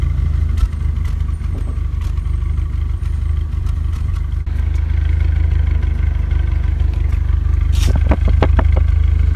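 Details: Renault Megane RS Cup exhaust at idle: deep steady note broken by irregular puffs and ticks, intermittent misfire; spare injectors worsened it, original injectors cleaned and reinstalled with seals flipped, MAP sensor fit loose; cure unconfirmed.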